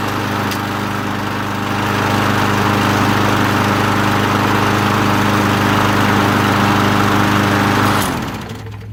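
Strong, steady mower drone holding an even speed for about eight seconds before shutting off; runs clean with no misses or surging.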